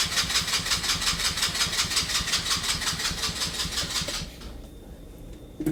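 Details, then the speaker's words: Abandoned go-kart, carburettor with no choke, very little fuel in tank: steady starter cranking about three strokes a second for four seconds, never catches; no start, owner suspects not enough fuel. "There's no choke on this carburetor, but I don't think I have enough fuel in the tank to get it to Fire off."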